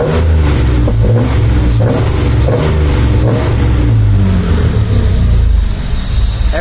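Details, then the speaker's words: Rocketeer V6 in Mazda MX5 just after first start: fast uneven idle that surges rather than settling; owner suspects air getting in somewhere and closes both throttle bodies and their adjustment screws; later idle drops to about 650 rpm. "I'd imagine the revs will probably come down a little, but not a lot. There's an air getting in somewhere, so I just have to track that down."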